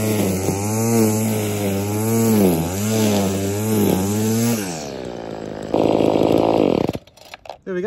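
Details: Trash-picked two-stroke saw after full service: new metering diaphragm and foam air filter: starts and revs cleanly, steady buzz rising and falling with throttle, then shuts off; normal running.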